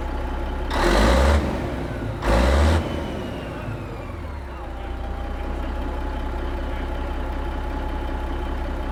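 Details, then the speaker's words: Kenworth K100 cabover diesel with a newly installed 8-inch miter-cut exhaust: two short throttle blips, then a deep, steady, clean idle; engine and new exhaust sound healthy, runs good, starts good. "I'm fat, and Trisha's got exhaust. Sounds good, runs good, starts good."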